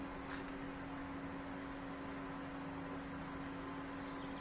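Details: Hayward pool spa heater that shut off early, after thermostat adjustment-screw calibration, heating past 103°F: steady soft roar with a constant low hum, no flutter or cycling; it fired normally and shut off at 104°F.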